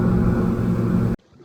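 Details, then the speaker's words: Boat outboard at cruise, about 5,100–5,200 rpm and trimmed right: steady even hum turning from a drone to a clean zinging buzz; that zing marks the ideal trim and rev point for best fuel economy. "If I go quicker, it'll just zing a little bit more. That's 5,200, and that's about perfect."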